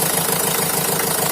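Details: Opel Vivaro / Renault Trafic 1.9 diesel after fixing a crackling noise, with a worn alternator rear bearing found and the alternator repaired: van ticks over with an even, steady beat, no crackle or bearing noise; normal idle.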